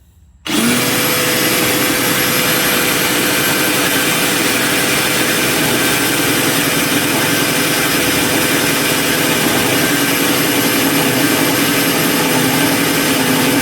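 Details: Replacement Super Max trailer jack gearbox driven by a drill on fresh battery, lifting an empty trailer: steady high whir with even gear hum holding pitch under load, no knocks or grinding; working properly.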